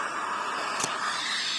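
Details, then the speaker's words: S.T. Dupont Ligne 8 lighter that wouldn't release gas, refilled after removing a jammed spacer blocking gas flow in the jet: steady, even hiss of gas flowing freely; normal gas flow. "Ya, sudah terdengar suara ngosos, berarti ini gas naik."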